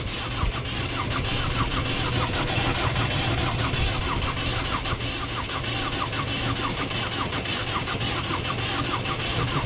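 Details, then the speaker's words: 2010 Ford Focus 1.6 TDCi diesel after starter replacement, battery boosted to 13.1 V: starter spins the engine at an even, steady beat for seconds but it never catches; cranked on and off for an hour, cranks but won't start, cause not yet diagnosed. "we kept cranking like for one hour straight on and off on and off it wouldn't start"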